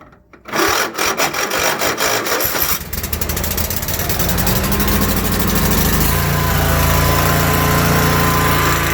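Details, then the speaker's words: Riding mower started without the key by jumping the ignition wires, with the brake on, throttle up and choke out for a cold start: a quick cranking clatter for a couple of seconds, then it catches and settles into a steady, even run. "throttle up, choke out if it's cold, which I'm assuming it is because you didn't have your key, and then there we go. Result of first time of starting this motor here."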